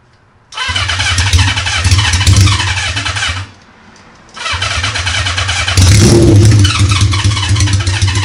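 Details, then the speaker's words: Honda CB550 with no muffler, running on sprayed starter fluid with a half-dead battery and makeshift wiring: loud four catches, dies briefly, refires and revs up with raw but even firing; starts easily and runs fine. "battery's dying but good enough for me super awesome guys I'm uh I'm really stoked I mean that fired up super easy I mean with a half dead battery and you know makeshift wiring back together and just spraying starter fluid in there"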